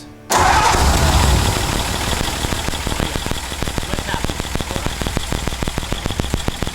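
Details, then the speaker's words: 1949 Ford truck (Vortic project) first start after new coil, new distributor-to-coil lead, 12 V to coil and ballast resistors unhooked, in neutral: cranks, catches at once, settles to even steady idle, no misses or knocks, a little smoke out back; normal start and idle. "oh that sounds so good a little bit of smoke out the back"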